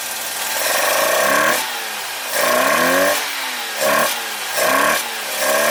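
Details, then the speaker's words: 1985 Mazda RX7 GSL rotary, after mixture and idle screw adjustment, previously idling low and dying: uneven lumpy idle surging and sagging each second, sounds like running on one rotor; misfire, owner suspects fouled spark plugs. "it's just it sounds like it's running on one with that in mind I must shut it off"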